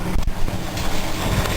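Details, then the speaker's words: 1966 Ford Mustang inline-six with a small-to-medium oil leak, just started: steady low even idle rumble with some wind on the mic, no knocks or misses; normal idle, started right away and running strong. "Here you can see that the engine's running pretty strong."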